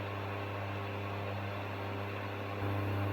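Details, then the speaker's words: Aldi Ambiano single induction hob running: a steady low electrical buzzing hum under the fan hiss, stepping up near the end. The owner finds it ridiculously noisy and says this is not good. "like a kind of electrical buzzing sound as well as the fan. Not good."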